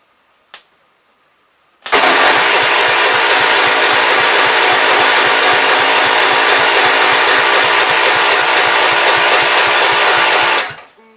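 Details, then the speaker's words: 1973 John Deere 110, choke on, gas fed to an uncleaned carb: cranks, catches and runs hard for about nine seconds on a steady fast beat, then dies. It seemed flooded; the owner suspects it runs mainly on carb cleaner with poor fuel flow in the carb. "Okay, there it was actually running on the carb. Maybe it'll go yet. It seemed like it flooded out."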